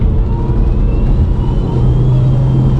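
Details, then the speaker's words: Remapped Vauxhall Astra under hard throttle in third gear, engine light previously cleared: heavy engine roar with a thin, rising turbo screech on top and white smoke now instead of black, from a failing turbocharger. "You can definitely hear the turbo screeching for dear life, and that is now white smoke, not black anymore."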